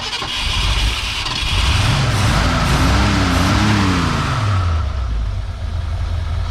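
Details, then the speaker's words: Long-abandoned 1971/72 Ford Mustang V8 fired on its fuel pump: catches, revs up and down, then settles into a steady even idle, no knocks or misses; runs healthy. "sounds good it does sound good here she"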